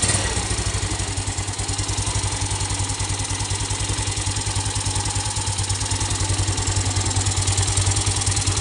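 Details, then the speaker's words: Yamaha Mio Sporty scooter after engine rebuild, started with slight choke, idling; steady idle near 200 pulses a minute with constant airy hiss; rubber cap on cam chain tensioner adjuster had popped off, leaking pressure. "na lang ako nagulat sa narinig ko kung saan parang may sumisingaw na hangin na hindi ko alam kung saan nanggagaling."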